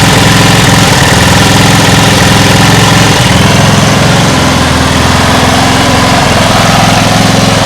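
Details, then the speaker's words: Homemade air-cooled outboard from a lawn mower engine, at low throttle: loud, uneven, lumpy putter about three to four beats a second; runs rough at low throttle, owner thinks idle may need adjusting higher. "it's not that happy running at low low throttle maybe it just needs adjusted a bit higher and then I just have to live with that extra RPMs"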